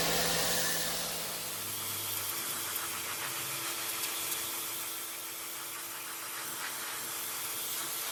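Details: New WAP Extreme Turbo 2800 pressure washer spraying to clean a floor: steady, even spray hiss over a constant motor hum with no surging or stumbling, running normally under load.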